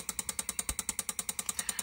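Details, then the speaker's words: Bosch L-Jetronic injector on an Alfa Romeo V6 system, with the rev-limit resistor bypassed, triggered by a signal generator at about 30 Hz to simulate idle: crisp, even ticking with no missed beats; the injector fires cleanly. "so we're going to hit that you can hear that fuel injector clicking away"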